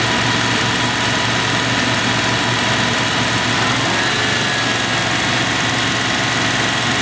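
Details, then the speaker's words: 1996 Dodge Dakota 3.9L V6 with new fan clutch after the old one locked up, idling at startup with about 83°F air temperature: loud steady fan rush over a smooth idle, then fan is heard kicking off; clutch slips normally. "We're ready for the road test, but we heard that fan clearly kick off, and as you can see, the air temp's about 83 degrees coming through. It should slip."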